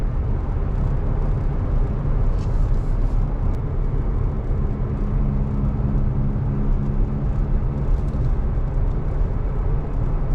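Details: Toyota Tacoma 4WD driving with a loud low droning hum from a worn front wheel bearing. It is louder going straight or turning right and fades when turning left; no play was found at the wheel.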